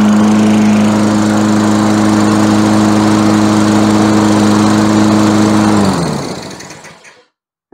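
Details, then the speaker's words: Lawn mower engine, normal steady running with no hunting or misses and a clean wind-down at shutoff; tested after fixing a linkage that had been reassembled incorrectly. "terdengar cukup bagus. Jadi kita sudah selesai dengan itu."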